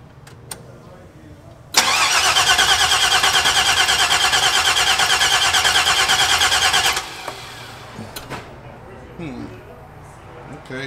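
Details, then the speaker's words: 1970 Cutlass with 6.0 LS swap, 80E transmission, stage 2 cam, base tune, before tuning: starter turns steadily about three beats a second for five seconds but engine never catches; crank no start, started earlier, starts with quarter throttle. "i heard it earlier when i did pull up it did start i'm trying to figure out why it's not starting right now"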